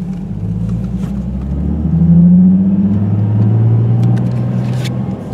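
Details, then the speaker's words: 2008 Nissan 350Z with JWT HD clutch, OEM dual-mass flywheel, Zspeed slave and Wilwood master cylinder: smooth engine drone pulling away in first through third, no shudder or chatter; clutch engages cleanly. "going to second going to third popping it down in neutral so there's absolutely zero chatter i mean none"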